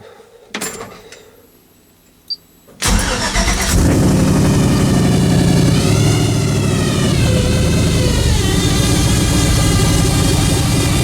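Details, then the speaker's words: Cold start of a 1956 Buick with Hydro Boost and a stage one Summit cam: it catches to a steady idle with a faint wavering whine. The owner suspects the power steering pump, with air trapped after sitting. The transmission was already replaced, and the noise fades as it runs. "it started making that noise and it still does it so I'm pretty sure it's the power steering pump it has Hydro Boost so I think there's just some air in there that uh gets trapped in there when you first start it"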